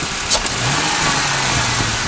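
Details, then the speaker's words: 2001 Ford Mustang 3.8 with new EGR valve, wires and plugs and the old coil pack tested good; idle and gradual throttle are fine, but a sudden hard throttle blip gives a rough, stumbling rise in revs and the car shakes; misfire, cause unknown. "you can hear this car kind of freaking out. It starts shaking and I don't like it."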